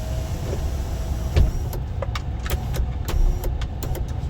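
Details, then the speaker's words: 2014 GMC Sierra SLT 4WD 6.2L L86 with intermittent sunroof operation and no codes: while back-probing the switch ground circuit, a brief steady electric motor hum over cab rumble and clicks shows the sunroof motor itself works fine. "yeah we're in there is that because it's not getting your ground but it's working see now the motor is working working just fine"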